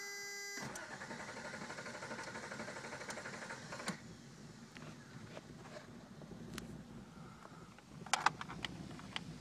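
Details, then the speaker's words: 1991 Toyota 3.0 automatic, hot restart after driving around the block and sitting a couple of minutes: brief start then low, uneven lumpy idle around 600 rpm, temperature gauge mid; recurring hard hot start with rough idle, cause undetermined. "But as you can see, that was kind of a hard start with poor idling issues."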